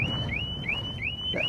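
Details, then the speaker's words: Harley-Davidson Smart Siren 2 on a Tri Glide, triggered by shaking the bike after chirps: loud, high siren in repeated sweeps about three times a second, lasting about 28 seconds with lights flashing; working normally. "goes off for 28 seconds and all the lights Flash and it's rather loud"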